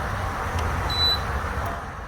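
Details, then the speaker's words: Whirlpool Accudry dehumidifier not collecting water, powered on: steady fan rush with a short beep and no compressor hum, coil cool; compressor not starting, later fixed with a new capacitor and refrigerant recharge. "we can see that the uh the fan is working correctly that's working but I do not hear the compressor motor so this should be the feels vibrate so it doesn't seem to be running"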